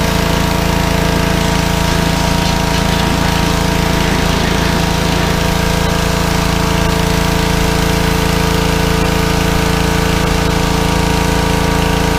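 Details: Small petrol engine on a fairly new pressure washer, after carburetor cleaning for suspected fuel starvation from dried ethanol gas (clogged bowl screw jet) following over a year sitting, steady even drone at constant speed, no misses or knocks; normal running under load.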